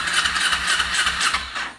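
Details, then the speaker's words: Kawasaki Ninja 250R race bike, after cleaning the carburetor and changing the plugs: quick start and crisp, clean blips of the small twin, no longer bogging or dying off throttle; normal start and rev. "Now she's running. It's not bogging anymore. That's what it was."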